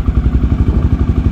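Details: 2008 Honda Twister 250 single-cylinder, which was hard to start and wouldn't hold idle, after a slight carburetor idle-screw adjustment with the fuel tap open: an even, steady idle thump with no stumble or hunting, now holding idle normally.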